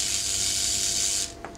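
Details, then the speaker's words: 3mm Corflute insulation test with neon sign transformer at about 252 V in, near 16 kV out: harsh hissing crackle for about a second as the spark arcs almost a centimeter through air around sharp edges, not breaking through the plastic. "through the air we've got to break down that almost a centimeter that's very sharp edges there so it's um it'll be wise breaking down so far away but nothing through there"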